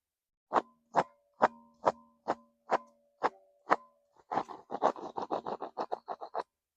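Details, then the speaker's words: 2012 Chevy Tahoe 5.3 flex-fuel, removed belt tensioner pulley spun by hand. Customer reported a grinding, belt-related noise while running. Spaced clicks speeding into a rough, gritty rattle; tensioner bearing has gone bad, replaced with new tensioner and belt. "Um, I'm going to spin this for you so you can hear the noise that it's making. And it's definitely gone bad."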